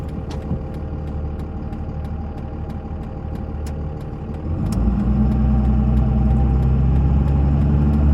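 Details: 2001 Dodge Ram 2500 4x4, 5.9 Cummins diesel, automatic, 90k miles, fully serviced, driving uphill through the gears; a deep steady drone builds smoothly with no hesitation, hard shift, slip, flare or thump: healthy engine and transmission under load.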